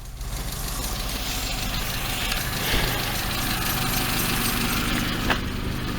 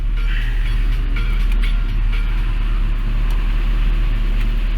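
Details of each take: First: Peugeot 206 about five minutes after adding High-Gear remetallizing oil additive: low, steady even idle with no knocks or misses, tach dropping to 500 rpm from 900 before; some background clatter. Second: Peugeot 306, engine cold before High-Gear remetallizing oil additive: steady low drone with no dips at a fast idle, stated as over 1,000 rpm instead of a normal 900 rpm, abnormal.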